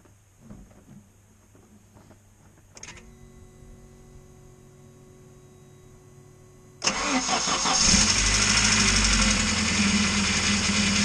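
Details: Car, belt slipped off causing overheating and battery light, spare belt fitted, viscous fan clutch removed; idling without fan before warm-up: quiet ticking, then catches and settles into steady even idle, no knocks or squeals; normal idle.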